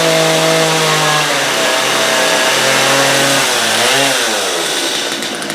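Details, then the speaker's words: Stihl MS250 chainsaw with a very hard rope pull (suspected hydrolocking or varnish), carbs screws backed out and spark plug changed, started on full then half choke: steady buzzy two-stroke idle rising and falling cleanly on throttle blips; runs normally. "Because it does start and run, and you just have to be willing to give it a little muscle."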